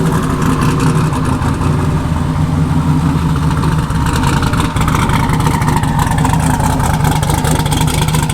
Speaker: so so sounds like it didn't shift i'm not sure what's going on with that